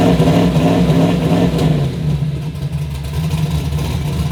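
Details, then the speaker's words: Turbo Chevy Nova V8 on a Holley ECU with base fuel pressure set to 40: the engine idles but revs up, falters, stumbles and cuts out on throttle, going lean. The engine cuts out when revved. "it'll idle but as soon as you try to give it any gas it's going lean it's not happy"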